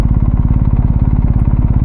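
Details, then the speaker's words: BMW R 1250 GS HP motorcycle, first ride at night; fast even ticking clatter (about twelve pulses a second) over the low engine beat. Rider unsure whether it is normal for the GS. "Ito pala yung tunog ng GS, no? Parang may lumalagitik."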